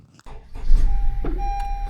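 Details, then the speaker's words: A car whose battery a tester has flagged as failing: with the brake pressed, the starter cranks with a hesitant ch-ch-ch for a few sluggish turns before the engine catches. Slow cranking from a weak battery. "Did you hear that hesitation? I did. It went ch-ch-ch and started."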